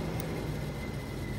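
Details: Audi TT Mk1, fan control plug pins bridged for low speed: both radiator fans run with a steady, even low rushing hum and no relay click, as low speed isn't relay-controlled; normal operation.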